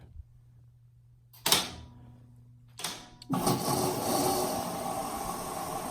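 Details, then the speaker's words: Washing machine on quick wash after installing water hammer arrestors: low hum, sharp valve clicks, then steady rushing hiss of water with brief air sputter; normal fill. "right and you heard a little bit of air there and that it is filling and then when it gets done Billingham shuts off the water we will not add any more banging pipes throughout the house thanks for watching"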